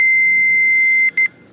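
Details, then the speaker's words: Continuity tester across the intact 60 amp bus tie current limiter fuse on an F-4 Phantom during a ground power fault hunt: clear steady high-pitched tone then two short chirps; fuse good, problem lies elsewhere. "so if this fuse is good I got that little beeper turned on so I should hear this so I should hear that if I test this fuse"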